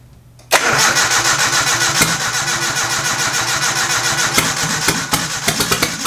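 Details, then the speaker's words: Nissan 240SX KA24E turbo on MicroSquirt ECU, first start: catches, then lumpy idle with irregular pops and stumbles; front two cylinders at 88 vs 93, not firing, injector suspected, timing also thought slightly off. Rough-running misfire. "so we've got 88 88 93 93 so I think these front two aren't firing could be an injector"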